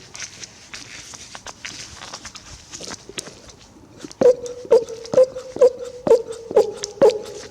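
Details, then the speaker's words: Removed original diaphragm fuel pump from a 1980 Triumph TR7, emptied and hand-pumped about two strokes a second: each stroke gives a click and short thin whistle; suspected leak on old pump. "When I activate this pump, uh, if I can. It's actually as if you get like a little tiny whistle."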